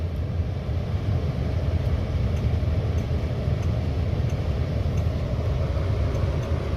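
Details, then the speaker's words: 1965 Ford Galaxie 500 (not a 390), engine warm, heard inside the cabin: low steady rumble with a soft even whoosh of the heater blower motor. The engine is barely audible; normal. "it's got a cold light on it so it stays illuminated till you're warm enough so the engine's warm all you can hear is blower motor"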